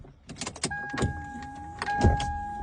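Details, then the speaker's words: Car air conditioning blower whining with fluttering clicks as the fan spins up, as if debris is rattling in the blower cage; fix is removing and servicing the blower fan. "La ventiladora del aire no debería sonar así. Oye, cómo está sonando. Y si le doy más, oiga, no debería sonar así."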